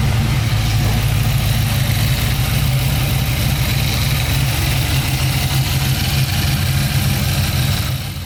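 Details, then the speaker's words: Nissan GU Patrol swapped from 3-litre to 6-litre LS V8, first start after wiring; steady lumpy idle with faint rattling chirp from the front belt drive: worn idler pulley. "it's funny i could barely hear that idler pulley carrying on but sitting down ahead of the video you can hear it clear as day"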